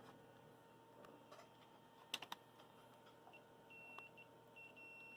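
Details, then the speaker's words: Cheap Amazon 120-to-24 V 5 A power supply for a water storage tank fill automation, checked before plugging in: keypad clicks then clear double continuity beep from ground to the case; chassis grounded, no short to neutral or hot. "that's a good sign and nothing grounding out to the neutral or hot so that's good"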